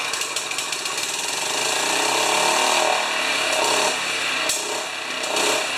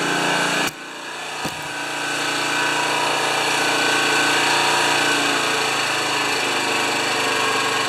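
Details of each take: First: Honda HRA214 self-propelled choke-start mower, previously worked on, after fixing choke and throttle linkage; on starting it surges hard, racing up and down in uneven waves; owner unsure if too much or too little fuel. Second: Honda HRA214 mower after oil change and reassembly, checked with a tachometer, these run 3500–3600 RPM; engine holds a steady, even buzz about twelve seconds without hunting or surging, then shuts off cleanly.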